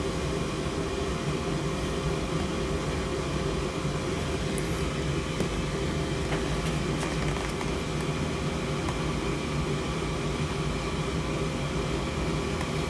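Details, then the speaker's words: Gas furnace that wasn't heating the home, after the flame sensor wire connections were moved around: it fires up and stays on with a steady low roar and even hum, no cutting out; normal running, though it remains to be seen whether the fix holds. "she fired up she's staying on on I did move around the the connections on where it goes through here on the uh flame sensor wire I think we're going to be okay but time will tell"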